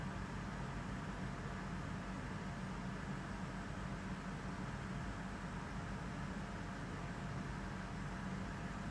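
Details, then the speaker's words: Lexus LX570 AHC hydraulic suspension, engine running, during bleeding after accumulator globe replacement: raised from low back to neutral, with a low, steady pump whir and no knock or surging as it lifts. Pump working normally. "And then once it's in low, bring it back up to neutral. Give it a few seconds here. Let it raise the vehicle."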